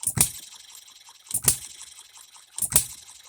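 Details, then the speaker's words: Economy hit-and-miss engine after new piston and re-ring, freshly oiled, no cooling water yet, seating rings: three sharp firing bangs about 1.3 seconds apart with quiet coasting ticks between; hits hard, normal hit-and-miss running, governor to be slowed. "it hits pretty hard it's lifting that up and we are hitting and missing"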